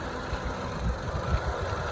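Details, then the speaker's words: 2005 Mitsubishi Lancer 4G94 after transmission reinstall, warming up waiting for thermostat to open: quiet even idle with low steady rumble, no scraping or grinding; running good. "And there she is, running. No loud scraping noise or anything like that."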